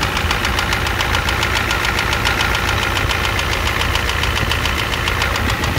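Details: 1988 Ford F250 7.3L IDI diesel at idle with high pressure fuel line leak, white/grey exhaust smoke, smoke from oil dipstick, oil in add zone: hard, sharp knock a bit over twice a second, loud and steady; cause unknown.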